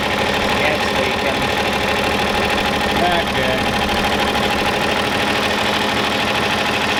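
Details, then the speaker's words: John Deere 4020 diesel tractor running after sitting two years: steady diesel clatter ticking along at an even idle, no misses or surging; healthy, normal diesel idle. "well there you go guys she's a runner and she'll never die you can always trust your John Deere"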